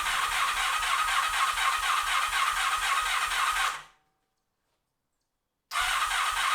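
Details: 1986 Honda VF700 Magna V4, four carburetors, first run after carb cleaning and fuel system flush, needed cranking to fill carbs: steady, even exhaust pulses about four per second, briefly cut, then same smooth beat; normal idle.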